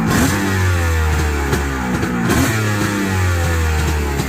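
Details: 2001 Kawasaki 900 STX jet ski two-stroke on premix, after a no-spark fault fixed by cleaning and sanding the stator and pickup; started cold with primer, no choke: quick blips picking up cleanly and firing evenly, music over it; normal revving.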